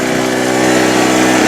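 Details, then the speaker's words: Harbor Freight Storm Cat 2-cycle generator that kicks back when restarted hot, started right up today: steady, even two-stroke buzz at constant speed with no misses or surging; running smoothly. "Today, no trouble. It started right up."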